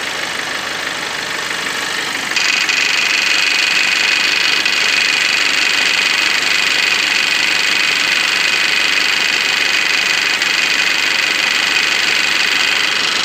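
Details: Kia engine idling with an abnormal noise: a steady high-pitched whirring hiss stays constant over the idle; worn auto belt tensioner bearing.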